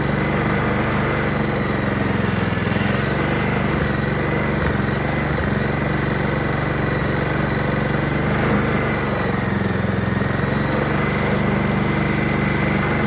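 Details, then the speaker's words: Honda HRR216 Harmony II QuadraCut push mower, no blade fitted, after starting spray: steady, even buzzing idle with no stumbling or misfire; engine runs, normal idle. "hey hey hey The self-propulsion Works engine starts up it just needs a blade"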